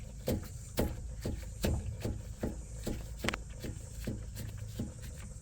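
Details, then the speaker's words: Mercedes-Benz C200 Kompressor W204, new drop/stabilizer link twisted by hand with wheel off: sharp clicking knocks about twice a second, other side quiet; ball joint suspected failed internally, not confirmed. "it's not meant to do that at all. The other side doesn't do that. And I think what's happened is the ball joint down here has actually gone bad"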